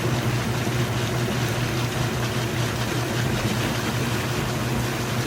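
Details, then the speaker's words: Kenmore electric washer-dryer laundry center at wash-to-rinse transition, draining before basket spins: even drain pump hum with rushing water, running nice and fast, no rattle or grinding; normal. "You can hear that pump running nice and fast."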